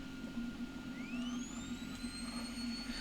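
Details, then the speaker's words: Anet A8 3D printer printing PLA first layer: steady high whistle climbing then holding over motor hum, like a dental drill, from air through the part-cooling fan shroud; printer otherwise very quiet. "oh my God what is to deal with that fan it was like a whistle effect from the uh the cooling shroud holy crap that sounds exactly like a dental drill"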